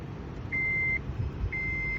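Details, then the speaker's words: 2008 Honda Civic Si manual: two steady high beeps, each about half a second and a second apart, after holding for five seconds with the door open, confirming a door lock setting change; works one way but the reverse change fails. "great have the door open and hold for five seconds and nothing you hear that so it works one way but it doesn't work the other way"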